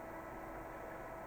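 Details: Acer XD1150 DLP projector, under repair for bad capacitors, powered up: quiet, steady airy whir with a faint even hum and no rattle or pitch wander; the projector's cooling fan runs smoothly.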